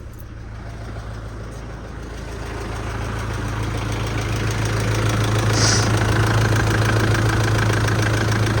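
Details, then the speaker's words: Mitsubishi L200 diesel first start after major service, cold with glow plugs: ticks over evenly about 200 beats a minute, little rattle or diesel vibration; healthy idle, no leaks. "I tell you what it's ticking over quite nice as well there's not there's not a lot of rattle going on there's not there's not that um diesel vibration"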